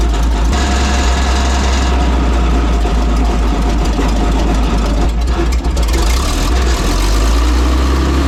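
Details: WWII German Hetzer tank destroyer engine with two single-barrel carburettors, their linking lock screw loosened for separate adjustment: a heavy, deep rumble running steadily but a bit fast. Idle speed is too high, so the carb idle and mixture screws need adjusting.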